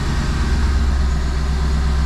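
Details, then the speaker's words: Mercedes G-Wagen after starter replacement and repairs: smooth, even low idle with no ticks, misses or hunting; the engine is running healthy. "all right engine sounds good nice and smooth fully assembly all look straight sounds"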